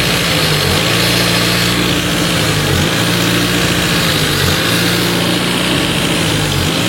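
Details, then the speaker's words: Renault Twingo high, fast idle with slight periodic surge after throttle body removal and idle-actuator relearn; air passes through the idle bypass hole because the new idle air control actuator fails to close fully, no intake leak found. "donc c'est bien là par le trou du ralenti qu' a le l'air qui passe c'est mon nouveau actuateur qui arrive pas à fermer correctement"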